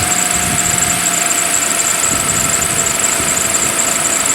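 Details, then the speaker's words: Cold start, January, after 7 years and about 25,000 miles of ownership: V6 idling with a busy fine valve-train ticking, normal for this engine; cranked slow when cold, a squealing belt or pulley is also audible. "sounded a little funny starting up but it is cold out so I think it just kind of cranks slow on that first goal you might hear the freely belt and what do you also hear a lot of valve train noise"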